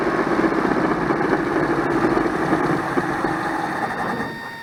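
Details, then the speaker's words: 1985 Dodge Ram 50 with carburetor, started after about 10 years sitting; uneven rough running that sags and dies; owner suspects fuel pump failure or an air bubble, accelerator pump also faulty. "sounds like the fuel pump just went out yep that's an air bubble i'm having a feeling the fuel pump just went up"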